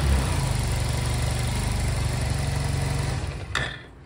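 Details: Honda Silver Wing scooter that would not start, after new spark plugs and air/idle screw synchronization adjustment: steady, even low idle putter for a few seconds before dying away; settled, healthy normal idle.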